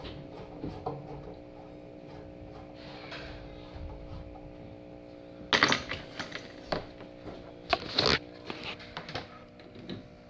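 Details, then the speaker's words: Power Jack inverter on a test battery powering a four-foot fluorescent fixture: steady electrical buzz grows louder and harsher with rattly crackles under load, even small loads; owner suspects slightly low voltage, cause unclear. "see what this sucker sounds like yeah not great sounds terrible the voltage is probably just a tiny bit low"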